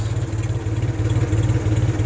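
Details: 1974 Ford 3000 gasoline three-cylinder tractor revived after being water-locked, new cylinders and muffler: low even chuffing idle with a steady beat and no knocks or misses; settles and runs smoothly.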